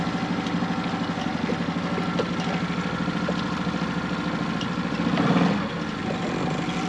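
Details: Hood 23 sailboat 'Manumitter' outboard, just repaired after earlier problems, on a shakedown cruise after leaving the wharf in South Australia: steady, even drone with a smooth low beat, no stumbles or surging; running cleanly under way.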